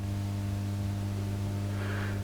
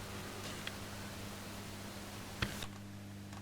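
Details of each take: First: Marshall JTM45 Super 100 guitar amp, believed late 1965: loud steady low mains hum with a buzzy edge, hugely increased when a test ground cable links two grounding points near the preamp and filter capacitor negatives; ground loop hum. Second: Late-1965 (believed) Marshall JTM45 Super 100 guitar amp after recap and adding an earth bond; faint steady low hum with soft higher buzz, about 75% lower than before; low residual mains hum, acceptable.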